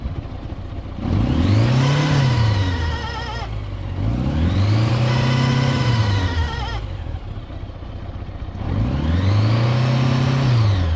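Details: 40-year-old Honda Gold Wing GL1100 revving: thin squeal rising and falling with engine speed from the tachometer gauge itself; drive disconnected, oiled, cleaned with carb cleaner, graphite powder planned.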